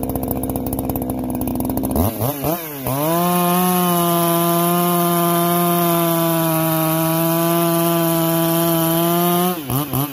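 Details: Freshly ported chainsaw with muffler mod, low hours and good piston, chain just sharpened, warmed up: revs up in quick blips, then holds a steady high scream through the cut without bogging; strong, healthy running under load.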